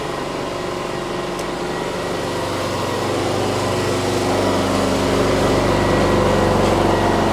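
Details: Briggs & Stratton P3000 PowerSmart generator after fuel pump replacement and tune-up (no-start from old stale gas), on premium non-ethanol fuel, powering a power tool: steady even drone rising slightly as load comes on and holding firm; healthy, fuel shutoff later found leaking.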